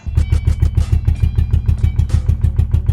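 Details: 1982 Toyota Celica Supra: even starter chugging about three per second, steady, engine turning over but never catching; cranks without starting, cause suspected, not confirmed.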